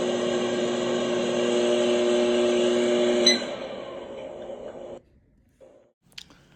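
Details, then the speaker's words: Whirlpool AMV2307PFS-0 over-the-range microwave whose door switch was replaced earlier. A recently developed steady buzzing hum seems to come from behind the button while running and stops when the oven stops; cause unknown. "There's a buzzing / humming noise that sounds like it's coming from behind the button. The sound just recently developed."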